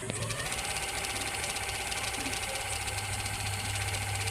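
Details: Ceiling fan after the knocking noise was fixed with Fevi Kwik glue without replacing the bearing: steady even hum with a faint whir, no knock or rattle; runs smooth.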